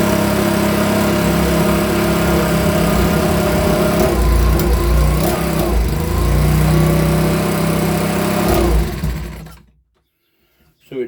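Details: Makita BHX2500 24.5cc 4-stroke leaf blower, brought in as a non-runner, quickly diagnosed and cover refitted; warm, started without choke: runs smooth and even with a steady buzz, holds speed cleanly, then is shut off and dies away.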